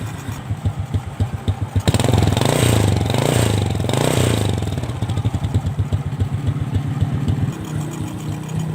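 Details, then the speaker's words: Carbureted motorcycle over five years old, after carburetor reset from rich fuel-wasting condition: even, light single-cylinder idle putter, a quick throttle blip, then settles back smooth. Feels light, and the exhaust no longer puts out black smoke; normal idle. "karena memang bisa sahabat dengarkan siswa rather bunyinya itu sudah sangat rata Ya sudah saat hai oke cukup enak sekali jadi ringan ya sahabat"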